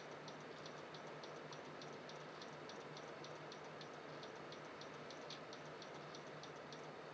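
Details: PC stuck on startup repair and not loading, with system restores deleted: steady light ticking about three a second over a dull hiss. Owner suspects the hard drive is failing; unconfirmed.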